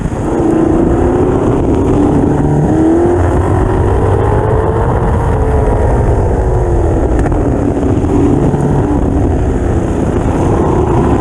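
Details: Lotus 38 replica race engine at full throttle during autocross, stumbling roughly under load; misfire from a faulty ignition module and/or coil.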